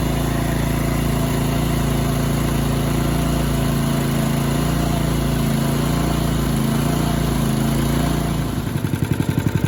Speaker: Man, that's a sweet running little Honda motor.